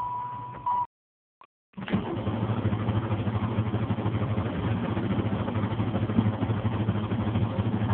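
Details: 1993 Chevrolet Camaro 3.4 SFI, won't start for a month despite having fuel: chime, then steady cranking that never fires or catches; crank-no-start.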